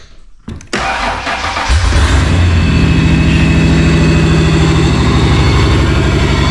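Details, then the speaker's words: Stock 1995 Ford Explorer engine that runs but has a clear miss: cranks, catches, then settles into a lumpy idle with a regular stumble in the exhaust beat, a single-cylinder miss. "Now, the bigger elephant in the room is this engine. It does run, but it's got a clear miss in"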